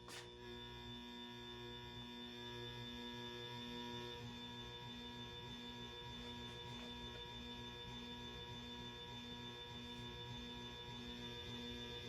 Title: Hunter Original Variable speed buzzing sound